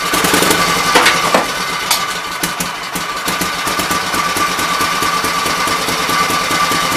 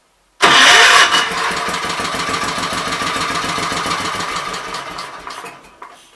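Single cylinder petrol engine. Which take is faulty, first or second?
second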